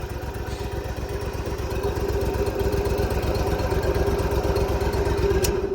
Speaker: But, uh, this one starts and runs really